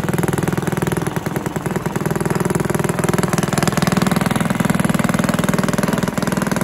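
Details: Villiers 10 petrol engine on old Barford cement mixer, first start: steady even single-cylinder beat at fast idle, no knocks, misses or rattles; starts easily, runs well, though compression not excellent and fuel seems to run through with tap off.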